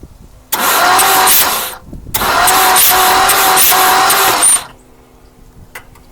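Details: 1959 Mercury Monterey, asleep for a decade, turned over by ignition key after the solenoid and switch were wired: two bursts of steady starter whir with even turnover. The engine spins freely but does not start.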